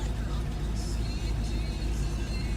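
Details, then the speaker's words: 1979 Mercedes-Benz 450 SLC at 105,518 miles during pre-purchase inspection, idling just under 900 rpm, oil pressure pegged: low heavy idle with uneven lumpy beat, shaking and sputtering like a misfire. Rough idle. "But yeah, there's definitely a roughness to it, and I can feel it, you know, while I'm seated on the seat here. It's just shaking a little bit and sputtering like a misfire."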